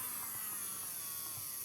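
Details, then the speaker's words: Nailmaster BQ202 nail drill, 220 V input, after replacing a leaking 2200 µF 25 V capacitor that caused intermittent starting and stalling: quiet, steady high whir without stutter, either direction, no protection cut-out. Repair successful, normal run. "sia in senso orario che in senso antiorario. E non va nemmeno in protezione. Riparazione riuscita con successo."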